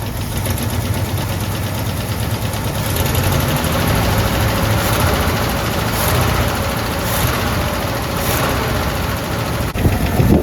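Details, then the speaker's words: AMC 327 V8 in a Jeep after exhaust manifold gasket replacement, idling up with light rev (choke faulty): dull low knock under exhaust rumble, heard more as a thud at the oil pan; owner suspects main bearing or flex plate/clutch contact, unconfirmed. "So I hear more of a thud on the oil pan. Camera around so you guys can listen. It's not like that extreme."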